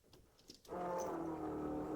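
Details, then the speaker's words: 1972 Ford Maverick Holley Blue electric fuel pump at key-on after relay rewiring: steady, fairly loud buzzing hum at even pitch; running normally, just noisy, possibly amplified by mounting to the body or frame. "Now, I'm sure you can hear that fuel pump. That's a Holly Blue, and they're just loud. I don't know why. All of them I've had have been loud."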